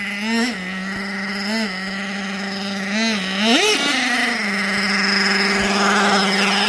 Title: Nitro Sounds Like High Idle And Odd.. Jato Sounds = when idle is too high.. #nitro #rc #jatos